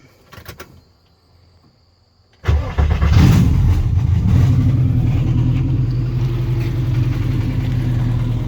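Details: 1958 Volkswagen Beetle with naturally aspirated Subaru 2.5 flat-four swap: brief starter whir, then engine catches cleanly and settles into a smooth, even, deep idle with no misfires or knocks; normal cold start.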